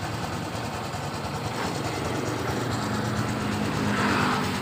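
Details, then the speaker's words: Honda Supra X 125 injection motorcycle that stuttered on throttle and whose electric starter wouldn't work, after wiring repair; battery also weak, kick-started: small single ticks over at a steady, even idle; idle now normal. "Hai teman-teman Dufan kisah ini ternyata akinya Lemah juga kita engkol temen-temen untuk stasionernya sudah normal"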